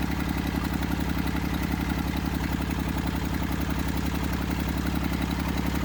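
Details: Massey Ferguson 35 diesel tractor, seized after 20+ years in the woods and freed, starter failed and removed, tow-started behind a truck in third gear high with fuel tank pressurized. It popped off after about 300 yards. Steady, even, deep diesel chug under its own power: normal running.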